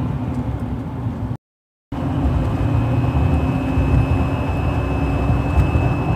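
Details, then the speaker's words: 2011 GMC Sierra Duramax turbo diesel driving at highway speed, heard inside the cab: steady high whistle over road rumble from air across the aftermarket LED light bar fins, not the turbo; fixed with door edge molding on the fins. "you can hear how obnoxious and loud so this is our fix we're gonna go ahead and start putting this on the back of the LED light bar where the fins are making the humming noise or frequency sound inside the cab"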